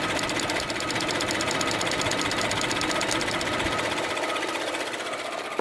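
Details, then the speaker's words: 2010 GMC Acadia engine at idle, under hood: light fast ticking about four a second from a faulty EVAP purge valve. "doing a little research I discovered that is this purge valve right here you can hear the ticking as soon as you pull it out it"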